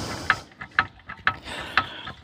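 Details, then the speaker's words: 2005 Kia with a knocking noise when the steering wheel is turned: sharp clunks about twice a second as the wheel is worked, traced by hand and ear to inside the steering rack. A slushing noise also suggests possibly low power steering fluid. "I can feel and here that that noise is coming from right there uh finger there right there so that's within the steering rack"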